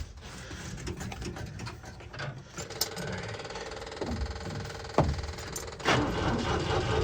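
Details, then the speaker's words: 1966 International Scout four-cylinder, sat for years, cold weather: even churning crank at starter speed that never catches; owner suspects no spark, oil pressure rose slightly; cranks but won't start. "there we go well sounds good but it might not have spark"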